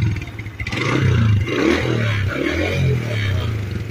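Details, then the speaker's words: Suzuki Shogun SP 125, about 18 years old, after kiprok (regulator) and CDI replaced and tune-up with oil change: engine catches and settles into a steady, even low putter with no knocks or misfires; normal start and idle. "suara mesinnya ya teman-teman halus lagi jadi beneran nyaring"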